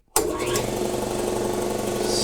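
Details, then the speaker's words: Roughly 40-year-old Campbell Hausfeld 20-gallon air compressor that had been tripping the breaker, after fitting a new unloader: silence, then motor catches at once and drones evenly without labouring or knocking; new unloader works, outlet suspected at fault. "son of a mother new unloader works perfect"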